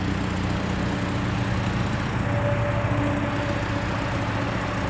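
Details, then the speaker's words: 1984 Toyota Camry DLX, under 100,000 miles, revved a little with the door open: a steady, loud, low rough drone with no knocks. It is louder than it should be because of an exhaust leak. "It has an exhaust leak. It's not supposed to be that loud. So, my apologies."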